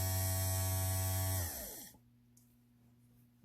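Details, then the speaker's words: 1971 VW Super Beetle fresh-air blower motor (113 595 113) after resoldering loose brushes, apparently slow speed; strong even electric hum without scraping or ticking, then smooth wind-down when switched off; blower runs healthy. "Well, look at this. She works. I think that's the slow speed."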